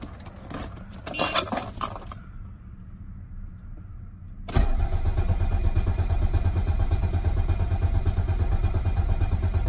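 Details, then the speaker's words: Mercedes 300D with OM617 diesel after a blown oil line was repaired and oil added, cranked without glow plugs to build oil pressure: even, steady starter beat of about two turns per second; cranking sounds healthy and oil pressure builds. "we built up oil pressure which is what I wanted didn't sound bad cranking it over"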